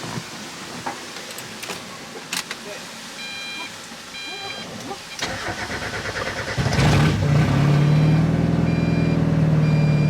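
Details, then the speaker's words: Mazda Miata after replacing the torn intake hose between the air box and the AFM. The engine catches after some clatter into a lumpy, hunting idle and now idles on its own. The throttle still won't work; it stalls on throttle. "right there still can't give a throttle button not sure if you guys can hear it or not but the miata is running and idling on its own"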